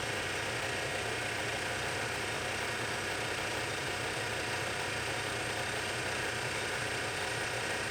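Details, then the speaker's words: Lathe boring the bore of a back gear for a project lathe with a boring bar, light skin pass to check clearances, no coolant: a steady, even cutting hiss with no rising squeal or rhythmic buzz, a clean cut without chatter. "at the moment we're just taking a little bit of a skin pass make sure we got clearances and as you can hear there's no chatter it's just cutting it's just cutting"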